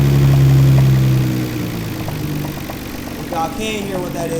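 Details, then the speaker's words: Nissan R32 GTR (900HP build), warmed up, idling: steady, regular knock about four beats a second under the engine hum, a rod knock, not extremely bad. "that is what you call a rod knock so um it's not extremely bad but it is a rod knock"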